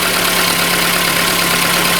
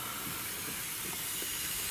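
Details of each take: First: Warm engine at about 97–99 °C after repair of a cylinder with no compression and first start: settles into a smooth, even idle with a steady hum and no knocks or ticks; sounds healthy. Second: Airy steady hiss from a probably missing O-ring between camshaft position sensor and housing, causing a vacuum leak; oil bubbles there, idle air control valve also leaking air, purge valve hose off; engine has knock and one low-compression cylinder.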